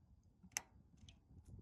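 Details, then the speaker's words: GE top-load washer lid switch: one sharp, crisp click as actuator presses home, showing the switch engaging and making contact; the bad lid switch is why the washer won't drain, spin or sometimes fill. "So you're going to be pushing this, right, underneath. And then you're also going to be engaging this guy. That's a click."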